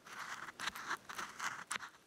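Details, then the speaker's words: Mercedes-Benz W126 S-Class original 34-year-old rear sway bar link, boot long gone and packed with sand, worked by hand: gritty crunching grinding in short bursts though it never clicked on the car; worn ball joint needs replacing. "can actually hear it grinding in there foreign so even though it wasn't clicking or making noises they they do need to be replaced"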